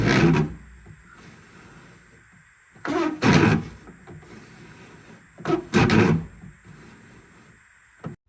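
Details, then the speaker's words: Ford Escort GT/LX (1991-1996) door with the window removed: crank turned in three short bursts of dry rasping and grinding, quiet between strokes, from the worn, failing window regulator about to be replaced. "even with the window out you can hear what off noise my window regulator was"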